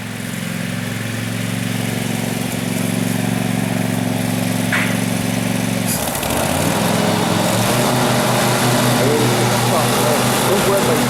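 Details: 2012 Husqvarna riding mower that survived a flood, run before any carburetor cleaning: an even, continuous twin drone that shifts pitch slightly midway and then settles, a normal idle.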